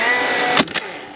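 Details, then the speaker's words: DeWalt DCFS950 9-gauge cordless fence stapler, about two years old, in multi-shot mode: motor whirs, one sharp crack as the staple drives, then winds down and quits with the jam light blinking but no jam. "Alright, so you hear that? It shoots the nail and then it dies. And I got the jam mechanism light blinking."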